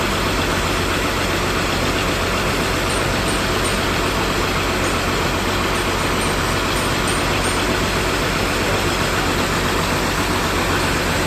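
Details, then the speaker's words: ALS 234 bus diesel under repair at the depot, idling: steady idle with a rough, gritty "grok" grinding running through it at constant speed; source not yet identified. "ini ALS 234 masih reparasi ya sepertinya sudah mau jadi kayaknya tapi bunyi grok itu apa ya"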